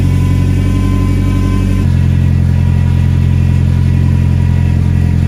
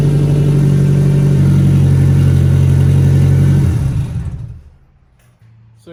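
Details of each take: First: Nissan 240SX with an ISR single GT exhaust, new gaskets and a muffler installed: deep, loud rumble at idle with an even beat and no ticking or puffing between pulses, exhaust sealed with no leaks. A whine was noted, and a belt is suspected. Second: Nissan 240SX with an ISR Single GT exhaust and no muffler: very loud, deep, raspy drone from leaking exhaust gaskets, leaking into the cabin, recorded before new gaskets and a muffler were fitted.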